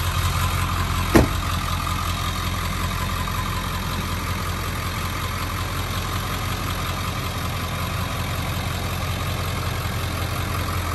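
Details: 2000 Ford F-350 Super Duty dually 4x4, 7.3 Powerstroke diesel, 71,316 miles, fully serviced: one brief start-up thump, then steady, even low diesel clatter at idle, unchanging throughout; healthy idle.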